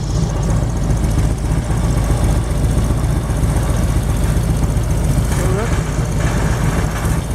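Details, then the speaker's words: 1999 Harley-Davidson Road King V-twin fitted with an aftermarket Chinese CV carburetor clone, idling on a lift with a big fan blowing: steady, even loping idle, rattling from the lift not the engine; normal idle. Engine light comes on intermittently, cause unknown. "But I think that's running pretty good."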